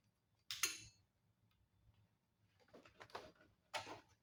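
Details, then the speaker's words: 1994 Polaris Trail Boss 250 ATV, battery connected, trying to crank: sharp, irregular clicks over a quiet background, no lights; hot, very loose previously spliced wire connection found, suspected short or loose connection. "there's something clicking I don't see any lights okay that wire's been spliced before"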